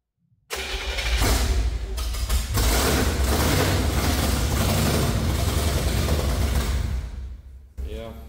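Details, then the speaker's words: C50 truck build restart: cranks, catches and runs with an uneven, stumbling beat and dropped pulses; misfire traced to the distributor cap, whose center button fell out, with timing also knocked out. "yeah it's missing all right PP cap off and got see what did H that didn't sound good"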